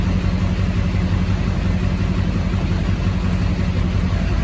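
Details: 2004.5 Duramax 6.6 LLY diesel with misfire and P1241 (PCM-to-FICM supply command), regulator mA showing sawtooth then flatline: deep idle with uneven chop, about two surges a second; rough idle, regulator or other cause unconfirmed.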